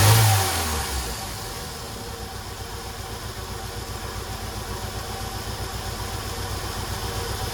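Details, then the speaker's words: 1993 Jeep Wrangler YJ revived after years parked: fires with brief rev, then settles to low steady idle; the bad ticking from first start is gone and it runs well. "You can see she's running pretty good now."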